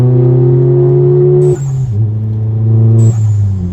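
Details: Modified MK7 VW GTI (Forge BOV, SwoopsBuilt intake, APR downpipe, Vibrant resonator, muffler delete) at full throttle: deep booming drone rising and falling with revs; weird noise traced to the muffler delete.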